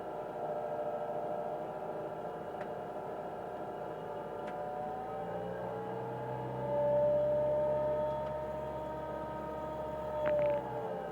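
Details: 1999 Mitsubishi Pajero iO running: steady engine hum with a sustained high whine, rising slightly mid-clip; present from start to shutoff, worse when warm and while driving. Mechanics variously blamed alternator bearings, A/C pump or water pump. Engine bay whine.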